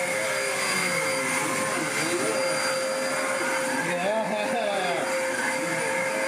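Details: Loud steady motor roar with an even high whistle, no surging, rattling or scraping; car-boot-sale Hoover upright vacuum, cleaned up and running healthy, needing new bags next.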